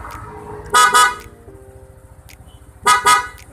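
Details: Newly installed Bosch FC2 horn on a Yamaha NMAX scooter: two short, loud double honks with a bright, steady tone over a quiet idle; the horn sounds strong and works fine.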